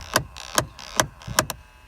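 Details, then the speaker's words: 2003 GMC Envoy XL, passenger rear quarter panel: constant sharp plastic clicking about every half second from an HVAC actuator behind the interior panel, blend door actuator faulty. "I don't know if you can see in there, but there's a little actuator right inside there. I'm sure you can hear it."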